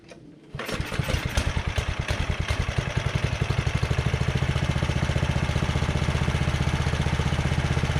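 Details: Carter 2435 go-kart after swapping its 5 hp Briggs and Stratton for a 12.5 hp Tecumseh from a Sears Craftsman snowblower, with a makeshift clamped carburetor throttle fix: catches after a brief crank and settles to a steady even putter about four beats a second; runs.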